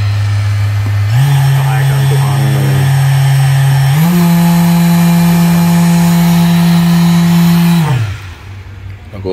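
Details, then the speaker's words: Mirka sander on an industrial robot arm, speed set to 4000 and then 6000 rpm: steady motor hum stepping up in pitch twice, smooth and even with no rattle; running healthy. "Here we can set the RPM. Maybe 4000 RPM It starts running. That was 4000, then maybe 6000."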